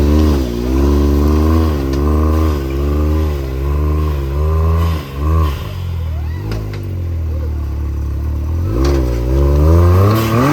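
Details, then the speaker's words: 2020 Can-Am Maverick X3 XMR Turbo on 35-inch tires, with the STM primary clutch before the P-Drive primary install: engine revs up and down at low speed with a constant loose rattle from the primary, which stays hugged on the belt. "that STM primary sounds like crap I don't know if you can tell on video but you definitely can in person it's just constantly making a rattle"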